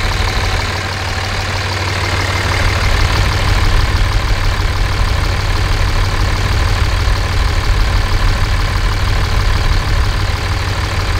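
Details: 5.9 24-valve Cummins diesel, warm, check engine light on from an unplugged CP3 fuel control actuator: deep, steady rumble through open exhaust, even firing, no valve tick; manifold temperatures within about 10 degrees, engine healthy.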